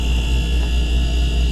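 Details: Refrigerator that blew warm air, after relay replacement: compressor kicks in with steady low hum and cooling fans with even high tone, no clicking or cycling; normal compressor running.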